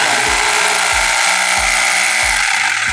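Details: Mollar HD826 800 W SDS Plus hammer drill, variable speed 0–1300 rpm, speed locked on, spinning free with no load: steady high whir with no rattle or labouring; the motor sounds healthy.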